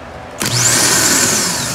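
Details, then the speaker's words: Car starter motor tested on its own: a click, then a strong high-pitched whine that spins up quickly and holds steady, a normal free spin; in the car it makes a clack and only throws the bendix without spinning, so the starter is suspected as failing. "As you can see in there The starter spins"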